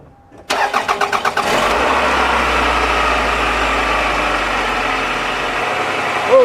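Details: 2001 Toyota Camry just after repairing the leaking water bypass pipe and refilling coolant: starter cranks about seven quick pulses, then engine catches cleanly into a steady, even idle; no leaks seen.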